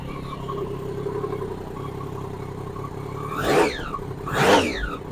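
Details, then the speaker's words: Crashed Triumph Daytona motorcycle being rebuilt, tank nearly empty until a bit of fuel added; in neutral, steady even idle then two clean throttle blips, running properly now. "right I've plunked a bit of fuel in yeah that sounds a lot better so we're in neutral"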